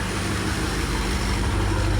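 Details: BMW F90 M5 first start-up after new spark plugs installed, ahead of a planned tune, left to idle: deep, even rumble with steady low pulse and no ticks or misfires; smooth normal idle.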